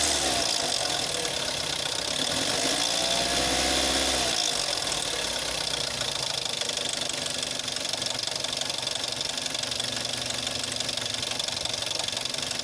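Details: Jetta 6 1.4 TSI CAXA, 125,000 km, cold start: fast, sharp metallic knocking about three a second, worst after 3+ days parked, gone when warm; first noticed at 60,000 km, timing chain tested not stretched at 100,000 km, cause unknown.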